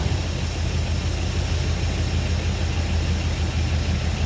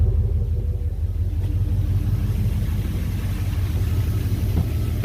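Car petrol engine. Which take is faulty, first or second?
first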